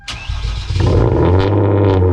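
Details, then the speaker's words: Hyundai Genesis Coupe with stock downpipes, last cold start before ARK downpipe install: brief starter whirr, engine catches cleanly into steady smooth deep fast idle, no knocks or misses. Normal cold start. "Let's go ahead and get one last cold start with the stock downpipes."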